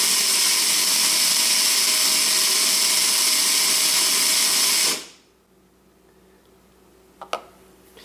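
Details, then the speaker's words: Gear mesh test with watt meter, gear lowered one full turn to slightly under 100% tooth contact: high, even whine of gears spinning freely and quickly for about five seconds, then winding down; lower amperage, less resistance. "away you hear the gears spin much easier without resistance and it spins very quickly and you can see the amperage is lower"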